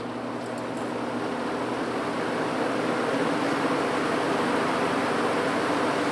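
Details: 1950s General Electric automatic reversible box fan, before cleaning, reversed and run up to high. Even steady whoosh of air, smooth motor hum building to high speed; running healthy.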